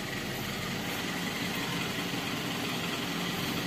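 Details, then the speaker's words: Warm Toyota Avanza/Xenia petrol engine, radiator fan cycling around 94–98°, that is hard-starting and lacks power: a low, rough, slightly uneven idle near stalling, caused by compression leaking past carbon-fouled piston rings. "Tapi RPM idle nya disitu bisa dikecilin lagi pasti mesinnya mati yo misal tiga jenis lagi pasti mesinnya mati karena kompresinya bocor"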